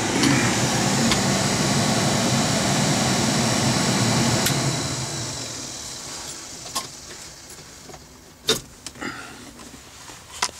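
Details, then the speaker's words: Mercedes 300TD diesel blower motor after repair with sewing-machine brushes sanded to size: smooth, even whoosh with no squeal or scraping, winding down to light clicks; motor healthy, blows well. "here's the uh here's the blower motor uh running now I'm going to turn turn off the ignition so you can hear it"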